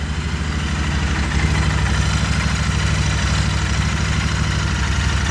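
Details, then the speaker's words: 2020 Royal Enfield Continental GT 650 twin after its 300-mile first service valve adjustment, unstarted for two weeks and warming up with slightly high idle: steady, even beat with no knocks or ticks; normal idle. "it actually sounds like it's running better than what i remember anyway"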